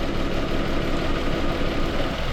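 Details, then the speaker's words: Mitsubishi Mirage G4 petrol engine that misfires when hot, with a fuel injector code after coil and spark plugs replaced; idle shakes and stumbles when injector harness wire is moved, a loose connection. "pero nung ginalaw-galaw ko yung wire dito sa harness yun y mga bosso Ayan Nanginginig na siya"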